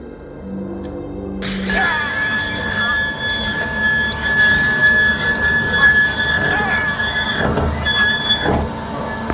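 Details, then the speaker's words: Element3D BOX 3D printer axis moving: a thin, steady squeal from a dry lead screw; fixed by applying a few points of lubricant, silicone grease ideal. "ваш 3d принтер издает подобные шум и то это означает что пришло время смазать ведущий винт"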